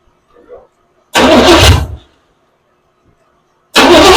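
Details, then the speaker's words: 1982 Chevy pickup, carburetor bowl primed, fuel line routed into a bottle to check delivery: two short bursts of cranking with silence between, never fires; fuel pump not pumping, cause not yet found. "I got to figure out why this thing ain't pumping fill."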